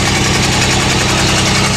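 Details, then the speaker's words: GMC truck with sticky valves, idling after about an hour of freeing stuck valves, one still stuck: loud lumpy idle with uneven low pulse and a stumble each cycle; dead cylinder, running on five. "running on five right now I have three such in shape and I got two of them freed up the third line was just stuck"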